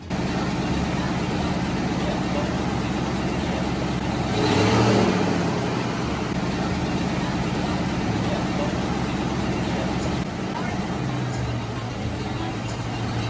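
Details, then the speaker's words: 1990 Ford Mustang V8 Fox Body convertible just started after sitting eight years, idling with a heavy rumble louder than it should be at rest; owner says the exhaust needs attention. "yeah it did seem a little loud to me after looking the exhaust needs to be cared for but that's a different time for a different day"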